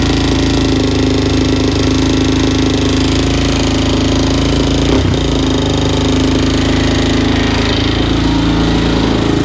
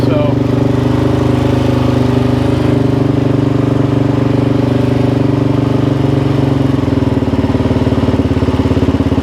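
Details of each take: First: 2004/2005 Suzuki LTZ 400 single-cylinder after another shop's failed valve guide job, at idle: busy ticking chatter up top on one side of the head, valve train noisy from a shim sitting on the valve keeper with zero clearance. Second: 2005 Suzuki LTZ 400 single-cylinder ATV after valve-train repair (a prior shop's failed valve guide job), restarted with idle turned up and a little choke: steady even idle, no valve tick, sounds way better; normal idle.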